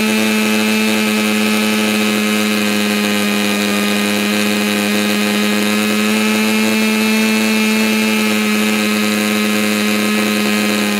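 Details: Stihl MS290 chainsaw after muffler mod, carb high-speed adjustment: steady, very even wide-open scream with no burble, which points to a lean high-speed mixture; suspected, not confirmed.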